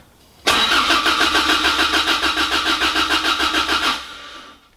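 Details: Toyota MR2 Mk1 4AGE, new battery reading 12.46 V, fresh fuel, not run in many years: steady starter cranking at about 3.5 beats a second with no firing at all; the in-tank fuel pump is getting no power at its connector.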